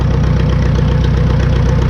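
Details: 1952 McCormick Super WD-6 tractor, choke fully off, throttled down and idling on straight gasoline before the diesel switchover; loud, smooth, evenly paced low thrum with no misses or knocks, a normal idle.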